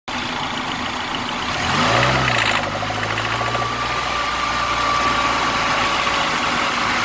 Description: I have a 2009 clubman S and I don't know what exactly is this purring noise.